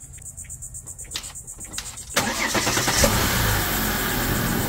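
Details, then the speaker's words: 2011 Volvo XC90 engine just after PCV valve replacement: a few quiet clicks, then a start and a steady, even idle with the former whistle gone; the oil filler cap now lifts off easily while running. "seems to be running nicely."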